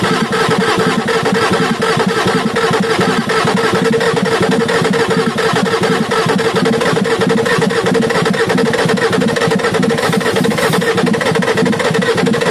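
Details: Ford F350 6.9L IDI diesel running after injection pump replacement and fuel bleeding: loud clatter at idle with an uneven, lumpy beat and missing firing pulses; rough idle, owner thinks it sounds like a dead cylinder.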